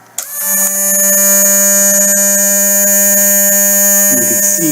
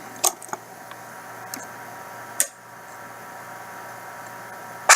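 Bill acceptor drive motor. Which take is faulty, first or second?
first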